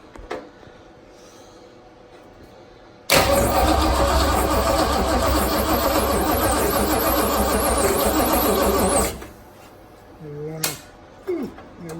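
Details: First start of a Mustang V8 after distributor set at top dead center and coil powered: short crank, then it catches and runs at a loud, steady, even rumble about six seconds before shutoff; healthy first start.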